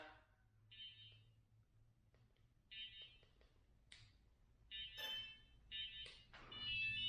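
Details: ShiFT Red drone after a crash: thin high beeps in short irregular bursts over quiet room noise; crash error alert, needing a power cycle.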